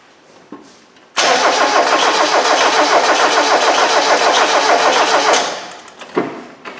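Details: 1994 Mazda Miata MX5, towed in as a crank no-start after a front brake job: starter cranks about three and a half turns per second for four seconds without catching; scope shows no crank sensor signal.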